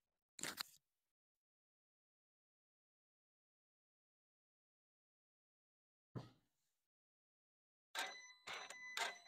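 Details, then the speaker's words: Land Rover Ingenium diesel cold start during pre-chain-repair health check: harsh metallic timing chain rattle that quietens within seconds as the tensioner fills with oil, plus a possible heat shield rattle and slight, likely normal turbo whine. "Now I could hear a couple of noises there. I could hear the chain rattle and you could hear that get a little bit quieter as the tensioner filled up with oil."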